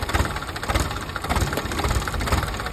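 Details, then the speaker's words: PC 10 diesel that would not start: it idles lumpy and weak, thumping unevenly about every half second; air is still in the fuel system, with bubbles showing in the return line. "O malamya pa kasi may hangin pa yung ano natin ah tingnan mo yung return bubbles pa."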